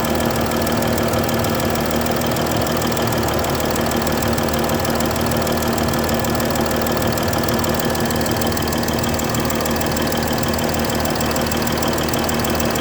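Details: Mercedes S-Class 320 at idle: steady puffing tick about every two-thirds of a second from a bad injector nozzle gasket leaking.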